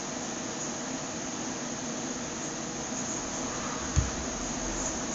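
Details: Computer speakers making a steady insect-like chirping hiss, with one dull thump near the end, since upgrading to Ubuntu 10.10; the noise appears at startup and at random times during a session.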